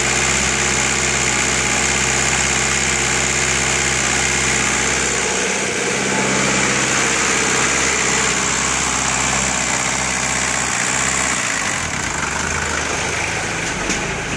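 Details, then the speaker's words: VW AAZ diesel engine, injection pump briefly gummed from sitting then cleared, probably carboned up: steady clatter about four beats a second, even, no knock or miss; turbo not heard spooling and has excessive play; normal diesel idle. "yeah, it's a good one. The turbo, I don't hear it spooling, but if we need a turbo, that one has too much excessive play."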